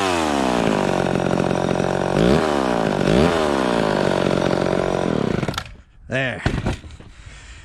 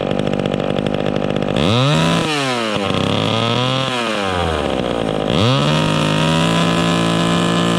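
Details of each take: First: Vintage two-stroke chainsaw after richening the high-speed mixture slightly, cutting wood. A crisp scream sags briefly as the chain bites, then recovers cleanly; it cuts properly and runs happier, safely a little rich rather than lean. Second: Vintage chainsaw during high-speed carburetor tuning, revving with no load: burbles unevenly at the top instead of screaming clean, four-stroking from a slightly rich setting that should clean up in the cut.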